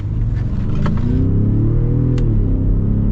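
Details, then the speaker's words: Gen 2 Ford Raptor with an EcoBoost V6 and the earlier exhaust, before the 'trombone' design, accelerating. A deep, smooth, throaty rumble swells with no misses or rattles. Normal exhaust note. "You know, I actually like this EcoBoost sound. This is when they didn't do the trombone exhaust. The new one has. And so it just has this deep throaty tone."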